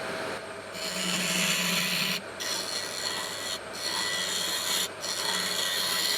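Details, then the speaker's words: Wood lathe turning a pine-cone epoxy resin blank with a freshly replaced tip: smooth, even rasping passes over quiet motor hum, no chatter or catching; much better than the blunt tip. "Good as new. Let's keep going. That is much better."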